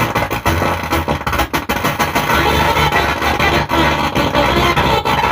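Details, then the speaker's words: STRANGER PBT 800 amplifier playing music via direct line input: harsh gritty fuzz over every note, same at lower volume; driver board faulty, other board seems fine. "আমি সাউন্ডটা কমিয়ে দিয়েছি, একই আওয়াজ। তো বন্ধুরা, এই ড্রাইভার বোর্ডটাকে ঠিক করতে হবে, এটা প্রবলেম আছে।"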